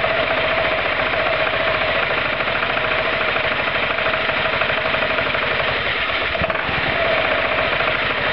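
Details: Roketa MC-54-250B scooter single, 1730 miles, stalling at every stop: harsh, uneven, clattery revving that stumbles as revs fall; intake and exhaust valves had no gap at TDC, fixed by adjusting valves.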